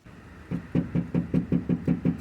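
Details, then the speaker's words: 2002 Grand Marquis rear package tray struck on the metal after Killmat sound deadener install, speakers not yet fitted: about nine dull short thuds, roughly five a second, no ring or rattle; panel well deadened, believed much better than before. "I don't remember how it sounded before, but I'm sure that was a lot worse than that."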